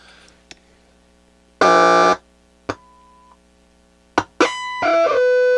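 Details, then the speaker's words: Roberts R600 AM/FM table radio on the bench, half-volt test signal fed into a transistor stage: the tone comes through in harsh buzzy bursts that jump and waver as the stage breaks into oscillation; owner suspects an unstable power supply and bad capacitors despite good ESR readings. "there's our signal he's breaking into oscillation because I don't think the power supply is stable in this thing"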